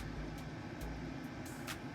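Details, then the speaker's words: Pecron E1500 Pro power station AC-charging at about 1060 W, at 48 percent: steady, even whir with a faint high hiss as the cooling fan kicks on quickly under the heavy charging load; normal. "do you hear that the fan definitely kicked on to this one very quickly but it's pulling in a massive amount of Watts"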